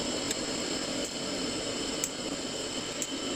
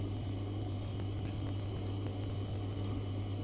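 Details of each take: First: Glow-worm boiler after checking the gas valve pilot orifice, pump running: steady soft gas rush with faint clicks about once a second; lights first time, burning evenly. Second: Glow-worm boiler, previous engineer had left the gas off: steady low fan hum with faint repeated spark ticks, no burner whoosh; pilot sparks weakly and fails to light, gas valve next to check.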